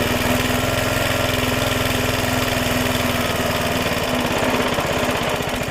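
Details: Suffolk Super Punch 17" cylinder mower, c.70 years old, SIF 75cc cast-iron two-stroke single, after carb and points clean, drive engaged: brisk even chugging, no misses or knocks; healthy running under drive.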